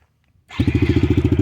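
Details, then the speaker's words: TTR 110 with swapped-in KLX 110 carb, 40 pilot/88 main, cold start, not yet run that day: silence, then catches right away into a quick even single-cylinder putter of about fifteen beats a second; normal clean cold start, much better than before. "that's cold start starts so much better with the Kayla's carb"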